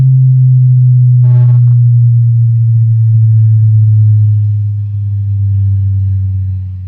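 A clean, steady low tone plays without buzz, rattle or distortion; the speaker sounds healthy and ready to use.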